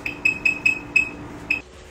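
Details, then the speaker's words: Veteran Sherman-S electric unicycle beeper, which stopped working after riding in rain and even on damp ground when water sprayed on it. It gives a run of six sharp high beeps, about four a second, then silence: an intermittent beeper. "Additionally the Beeper I had in this unit was fairly susceptible to riding in rain yeah beeper doesn't work anymore"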